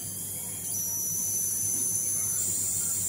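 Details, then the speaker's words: Polytron 24-inch LED TV power supply board; steady high-pitched hiss and crackling whine once it switches on, while the TV otherwise works normally; switching transformer buzzing. "cuman suaranya seperti itu teman-teman ada suara berderik eh kita akan lihat ya sumber suaranya itu Ini ada di trapo switching ya teman-teman"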